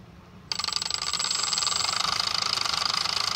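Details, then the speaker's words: UMX J-3 Cub RC plane straight out of the box, fresh battery: thin high whir starts abruptly, then pulses and wavers instead of winding up, spinning slowly and backwards with no obstruction; battery warm and burning smell, owner suspects bad motor or ESC. "Oh, now it's actually spinning. Not very fast, though. That wasn't doing that before."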